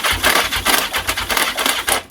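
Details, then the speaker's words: The 750 "Mac" cranks but won't fire, with rhythmic chuffing and weak periodic pull through the intake manifolds; bump starting downhill also failed. Same problem as before, owner suspects the starter clutch, not confirmed. "I've tried bump starting it down the hill as well and getting absolutely nada from it."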